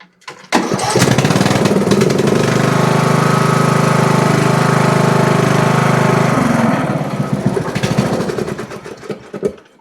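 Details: Riding mower with a no-start caused by the throttle linkage pressing on the choke: after readjusting it so the choke is released, the engine catches after a short pull, runs steady and even, then winds down cleanly.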